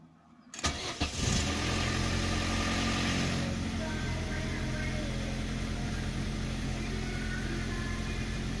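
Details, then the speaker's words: 2001 Opel Astra G, Z12XE 1.2 petrol, first start after cleaning the EGR valve and resealing its gasket with silicone. It settles into a steady, even idle with no knocks or misses; EGR fault still shows on dash, engine runs well. "It has started. Really nice. I see that the error is still there, but the engine overall is running pretty good."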